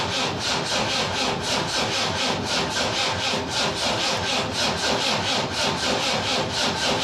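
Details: Land Rover Defender 300 TDI diesel, lower-mileage swapped engine with new timing belt and gear, first start attempt; starter churns slowly, about one compression stroke a second, good compression, never fires; diesel not primed.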